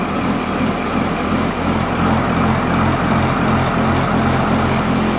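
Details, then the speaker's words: 1985 International school bus diesel, recorded from inside the cab: fires right up into a steady, even idle with low regular chug, no knocks or misses; normal idle. "all right here we go well that was boring wasn't it fired right up"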